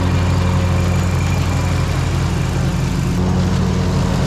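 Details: Gravely ZT60 HD zero turn mower after swap to a used Kawasaki 26 hp V-twin, oil changed, new blades: loud steady low drone with an even beat, no knocks or rattles; normal healthy idle.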